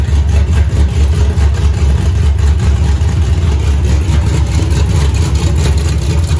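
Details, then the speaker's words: Freshly built 5.3 LS V8 on first start with open headers and an aftermarket 90 mm throttle body, TPS clocked: a deep, loud, steady burble with an even beat and no misses. The idle is healthy and revs snappily, with a small stumble on return. "so it is idling real nice right now it starts real nice it's snappy it revs up good"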